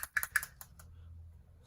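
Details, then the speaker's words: RockShox Super Deluxe Air (2017-2022) rear shock during service, shaken by hand: light sharp clicking from loose bottom-out bumper rattling on the shaft, which can wear it; fix is an undersized bottom-out bumper. "as you can see this bottom out bumper is super loose we're going to use an undersized bottom out bumper from empty Hydraulics which prevents this this rattle from"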